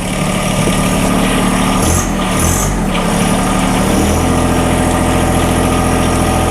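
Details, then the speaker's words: John Deere 1023E diesel sub-compact tractor that stalls only in cold temps, idling outdoors in winter: brief sputter at startup from air in the fuel lines, then a steady, even low throb without stumbling or surging; normal idle. "It sputtered when we first started it up. That's because I had air in the lines, of course. Sounds good."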